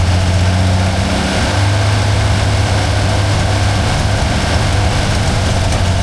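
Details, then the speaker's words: 1977 Holden HX that would only idle high on choke: a deep, uneven note that sags and wants to die, and it can't be revved. The carburetor is suspected, and its plunger arm was reportedly fitted upside down. "As you can see, it runs, but it's um can't really rev it. It's dying out for some reason."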